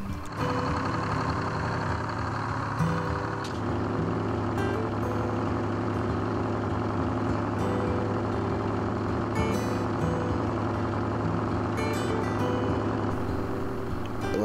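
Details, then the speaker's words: 1968 International Fleetstar 2000 dump truck, 6-71 Detroit two-stroke diesel, running after sitting 15 years, radiator nearly empty of antifreeze: steady, even idle with constant low drone, no knocks or misses; normal idle. "Man, this thing sounds really good. For sitting all these years, I can't believe how good this thing is running."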